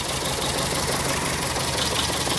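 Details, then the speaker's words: VW Gol with AP engine: rough, uneven idle with heavy lumpy beat and missing firing pulses that can be mistaken for bottom-end noise; blown head gasket left only two cylinders working, confirmed with head removed. "E aí e nem sempre esse barulho que está fazendo vai ser a parte de baixo entendeu carro aí ó com junta queimada funcionando apenas dois cilindros"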